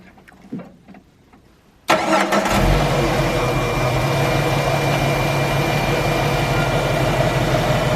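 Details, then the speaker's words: Jeep YJ 4.2L (258) inline-six after 4.0L cylinder head swap: short crank, engine catches at once and settles into an even, steady idle with no knocks; normal start and idle. "Let me start it up. Well, you can hear it. It runs nice and smooth. Very much worth the upgrade."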